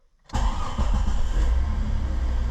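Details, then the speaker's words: 2000 Jeep Cherokee 4.0L, engine start after replacing a suspected hairline-cracked fuse that made the ASD relay buzz with key on: starts cleanly first crank without throttle, settles to steady even idle, no stumbling or stall; normal engine start after fix. "Look at that. Didn't have to give a throttle or anything."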